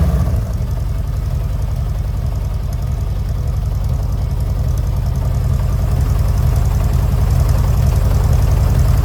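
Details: 1970 VW Westfalia air-cooled flat-four, first start after new parts including Webers, air filters not yet fitted: steady, even low thump at about three and a half beats a second, no knocks. Healthy idle.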